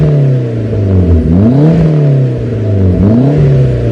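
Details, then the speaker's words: Talon DSM after new head gasket and transmission rebuild, running about ten minutes: smooth, clean idle with quick crisp blips revving freely; engine sounds healthy. "this thing's been running for ten minutes maybe a little bit more and so far it is just like perfect I could not be happier"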